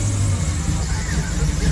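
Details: Steady low rumble with an even, unbroken idle and no misses or knocks, just after first start-up once a new Brawler 650 double-pumper carb and new plugs were fitted. The engine is no longer smoking and runs smoothly; normal idle.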